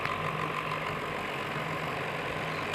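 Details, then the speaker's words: Table fan after its rubbing body was realigned and retightened: a steady, even motor hum with a light whir and no rattle or scraping; the sound is completely fixed and the fan runs normally. "देखिए पहले से आवाज ठीक-ठाक है। इसका आवाज एकदम change हो गया। देखिए एकदम बिल्कुल सही हो गया है इसका आवाज।"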